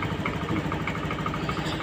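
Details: Honda Vario FI 110 scooter that died on the road with a dead battery, started and running without the battery: even single-cylinder idle, steady quick exhaust pulse, no misfire; healthy.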